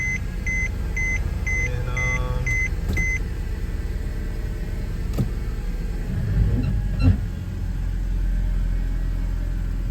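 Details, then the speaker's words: Mercedes C300 with P0306 cylinder 6 misfire, idling after ignition coil and spark plug replacement; dash chime, then steady, even low idle with no shake or stumble. Normal idle, misfire fixed. "check it out if this fix the problem have a good steady no shape"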